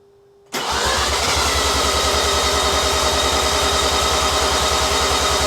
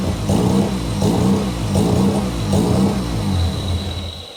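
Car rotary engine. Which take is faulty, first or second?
first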